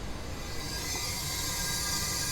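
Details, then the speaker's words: 2024 Sea-Doo RXP-X 325 engine pressurised with compressed air during valve spring and retainer upgrade: constant rushing hiss heard at exhaust, none at throttle body; exhaust valves leaking, intake valves fine. "Aha! Well, definitely the exhaust valves are leaking. Intake valves are perfect."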